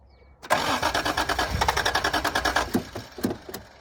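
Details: 1986 Toyota Supra from sitting, second attempt after it briefly fired: starter cranks at about three beats a second for two seconds and it never catches. Owner suspects no gas in it, and the fuel pump can't be heard running.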